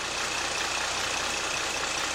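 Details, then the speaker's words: GM 3.6 V6 after timing chain replacement and throttle body cleaning: a little rough at startup until throttle relearn and full oil pressure, then a steady, even idle with a faint high whine and no knocks or misses. "as you can see it's a little rough starting up and when it starts up it will run a little rough that's until it relearns the the throttle body relearns the oil pressure builds up fully but other than that after that it should run just like"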